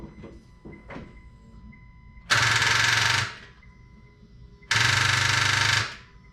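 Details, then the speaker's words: 8th-gen Honda Civic LX (FA1), first start after engine overhaul and new transmission, battery sat 6 months: two bursts of fast harsh clicking, no cranking; suspected weak battery or something still unhooked, connections to be rechecked. "months so either something is unhooked still or battery ain't got enough juice one of the two"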